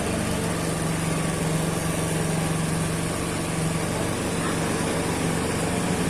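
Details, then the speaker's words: Honda Beat scooter with a 54 mm piston, no decompressor fitted, on a battery charged to about 13 V: heavy, uneven starter churn at about four beats a second, turning slowly against tight compression before catching; labored cranking from high compression. "Oke, percobaan pertama bisa ya, tapi agak berat karena memang kompresinya ini padat ya guys. Ini pakai piston 54 mili. Agak padat."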